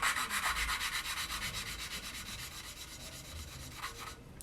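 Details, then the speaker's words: 1950 MG engine rebuild, valves hand-lapped with suction-cup tool and grinding paste: rhythmic back-and-forth gritty rasping, about four strokes per second, growing very quiet as the paste breaks down; normal lapping. "Now if you listen carefully, you will actually hear the grit change sound. It'll get very, very quiet."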